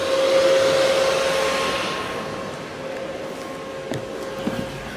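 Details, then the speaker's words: Car cold, with the engine bay fan forced on by a newly added manual switch that fakes a hot engine bay signal to the computer. An even whooshing airflow with a faint steady tone and no rattle or grinding. The fan runs normally. "the first one here let's turn on the engine fan I don't know if you can hear that the engine fan is now"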